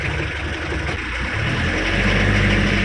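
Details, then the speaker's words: Mitsubishi L300 pickup diesel after clutch repair, pulling away in gear: steady rumble taking up load smoothly with no shudder or judder as the clutch bites; the vibration on clutch release is gone. "halus mantap Nah ini getar-getarnya langsung hilang udah gak ada lagi getar-getarnya"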